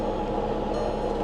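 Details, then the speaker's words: Auction-lot vehicle jump-started with a booster pack: a loud steady rattling roar at idle with a harsh midrange buzz, a horrific noise from under the hood, cause unknown; its transmission also engages slowly and slips in and out of gear. "plus that horrific noise coming out from under the hood"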